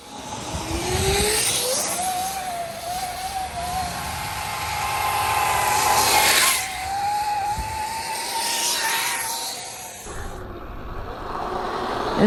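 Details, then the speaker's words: 72V Sur-Ron electric dirt bike with primary chain conversion kit, riding at high speed; high whirring whine climbing and holding with speed over wind rush, no engine note, just loud chain drive noise. "at high speeds it actually doesn't sound terrible it's just kind of a lot of chain noise as opposed to one of those nice rich engine noises"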